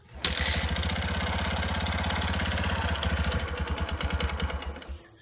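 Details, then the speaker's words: Yamaha Jupiter MX 5-speed before repair, with a previously fitted iron bore sleeve and a leaking engine. Revving single with a coarse, uneven "klotok" clatter under the exhaust beat, dying away at shutoff; piston slap in a loose, off-center sleeve. "dan untuk juara ini sangat klotok-klotok jelas ini kasar"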